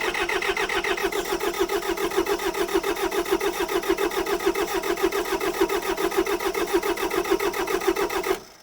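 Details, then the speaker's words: Kubota diesel tractor, cranking after letting glow plugs warm, no starting fluid: steady starter churn about 105 beats a minute for eight seconds, never fires; needs starting fluid, then runs all day, so glow plug fault. "I need starting fluid she starts and runs and starts the rest of the day so it's definitely a glow plug issue"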